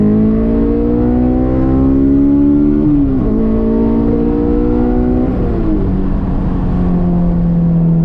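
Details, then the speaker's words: Honda S2000 after swapping and testing fuel injectors to fix a sputtering issue; full-throttle run with clean, even pull and pitch climbing smoothly through the gears, no occasional hiccup, stumble or misfire. Normal full-throttle acceleration. "I don't hear that occasional hiccup. And as always, we always gotta test and make sure it's sounding good full throttle."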